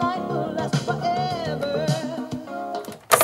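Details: Sanyo cassette recorder playing a cassette that doesn't trigger the fault: music steady and even, no phasing or drifting, unlike Mitsubishi tapes that phased and edge-creased; normal playback.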